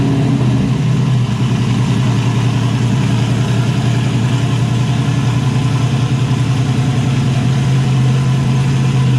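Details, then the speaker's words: Turbocharged Zodiac S10 after cleaning driver's-side parts with carburetor cleaner, no longer running on five cylinders; loud, deep, even choppy lope about three or four beats a second from the cam, all cylinders firing. "so now time i'm good sounding better powered up on them here you can hear the cam a lot better since it's not maybe well since it's not running on just five cylinders"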